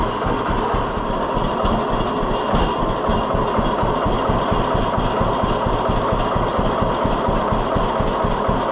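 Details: 1948 John Deere B tractor two-cylinder after Wico X magneto maintenance: even, regular low popping idle with no misses or stumbles. It idles lower than before; the owner believes the hotter spark made the difference.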